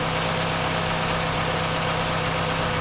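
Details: 1996 Chevrolet Cavalier 2.2 four-cylinder, just after water pump replacement, first start before warm-up: smooth, even low hum at steady idle, no knocks or ticks; idling healthy.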